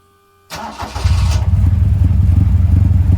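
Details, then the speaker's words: 1971 Toyota Celica TA22 2TG after fitting a new stainless exhaust without the old tip: a brief crank, quick catch, then a deep even idle burble with no whistle or leak; exhaust sounds right, carbs not yet synchronized. "much better also this got rid of that whistling sound it had due to having that exhaust tip before that sounded like some sort of a whistle now just browse like it's supposed to"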